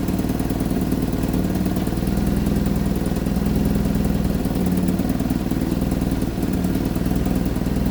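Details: 1975 Vauxhall Viva HC, last on the road in 1991, first start after a rebuild with the carburettors worked on. Steady, even idle with a quick regular beat and light clatter, no misses or knocks, while warming up. Runs fine.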